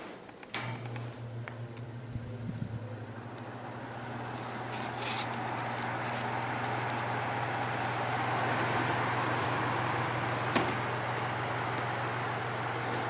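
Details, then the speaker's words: 1970s Patton U2-1272 fan with a newly installed Fasco motor replacing one that burned out in 2016, on low: steady quiet hum and a strong, even air rush, no rattle. It draws 0.66 A against a 0.7 A rating, so it runs normally. "that's it running on low it's pretty quiet and it has a nice strong breeze i think low speed is actually quieter with this motor than it was with the original motor"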